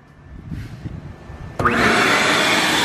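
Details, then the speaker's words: Vacuum cleaner powered from an inverter fed straight off a 13.4-volt battery with no charger: the motor spins up sharply to a steady high airy whine with no surging. Voltage dropped, but it runs like a champ. "runs it like a champ it dropped the voltage down but it will run and run and run and run just like that you'll run"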